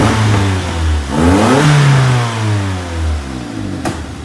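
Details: 1994 Infiniti G20t P10 SR20 four-cylinder petrol running rich with lumpy, uneven idle, a brief throttle blip and a sharp pop, backfiring on deceleration.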